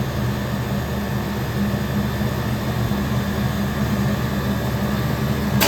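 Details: Walk-in cooler condensing unit outdoors, liquid line shut, compressor forced to run to pump the system down into vacuum before solenoid replacement: steady, even low hum with no knocks, rattles or hesitation. Running normally.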